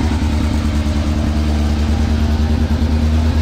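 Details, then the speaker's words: Wrecked Polaris RZR X3 or Yamaha YXZ side-by-side after ECU reset: uneven lumpy idle with choppy pulse about three beats a second, backfire through the intake; rough running, more diagnosis needed. "of sounds like a rotary oh it backfired through the intake it's still quite quite idle"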